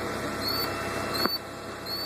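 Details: 2000 Volvo V40 1.9T just after start-up: short sharp chirps about every 0.7 s over a faint steady engine hum; source not pinned down. Squeak after cold start.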